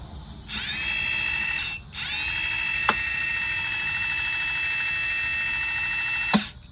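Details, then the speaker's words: 2017 Lexus RX 350 passenger-side rear electronic parking brake motor, powered from a 12 V battery with polarity set to retract the piston for pad replacement: steady high-pitched whirr, pause, then even whirring again; motor driving freely in the correct direction. "Okay, yeah, I see it's moving. Okay, good, stop. So yeah, the motor is connected the right way."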